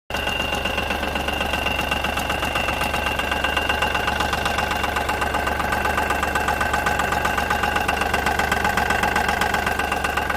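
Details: Smart Fortwo 451 at idle with a steady, regular clunk about two or three times a second coming from the gearbox housing.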